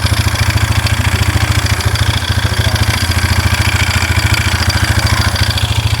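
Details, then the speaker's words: 2001 Polaris Scrambler 500 2x4 ATV idling after no-spark repair: steady idle with an even, rapid ticking clatter about three to four per second, seemingly from low in the engine; owner suspects low oil, source unconfirmed. "It also to me sounds like that motor. It almost sounds to me like something in that motor, too."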